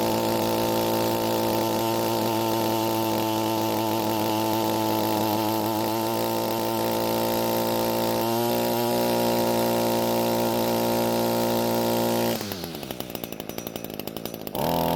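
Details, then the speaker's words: Echo two-stroke string trimmer after a carb needle adjustment. It now holds a steady buzzing idle without dying but sounds slightly heavy, with one brief dip; too much fuel at low speed, so the H screw has no effect. Rich idle mixture. "so the engine is now idling and not dying and that means the adjustment worked however there's just a little too much fuel at low speeds so much so that the h screw doesn't have any effect on the engine"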